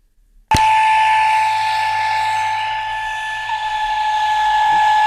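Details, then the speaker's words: Sanyo radio cassette player, tuning dial not working: a loud, steady high-pitched whine cuts in suddenly and holds one pitch; traced to a fault on the circuit board rather than an open microphone. "هو ده يا جماعه هو فعلا المشكله الزنه جايه من المصريه"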